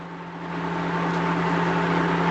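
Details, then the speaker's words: GE washer driven from the SmartHQ service module: steady, even hum with a constant mid tone and no knocks or scraping as the drum spin climbs past 751 toward 800 RPM, before the jump to 1100; normal spin. "It's getting up there. So as soon as it reaches 800, it's going to stay there for a little bit, and then it is going to jump up to 1100."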